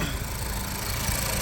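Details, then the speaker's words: Auction Ford Focus running after engine computer harness repair, AC compressor on: steady whoosh of radiator fan over smooth engine idle; radiator fan working normally. "yep and let's see what's fan works so the radi fan works coolant still good"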